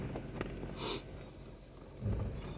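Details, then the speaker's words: Stock Jeep JL Wrangler Willys descending a downhill off-road trail at Brown Mountain, NC, with hill descent control on. A short, high-pitched brake squeal rises over quiet crawling noise. The owner says the brakes were just inspected and are not low; cause undetermined. "you can hear the squealing of the brakes I I guarantee you they're not low I just had this thing inspect it"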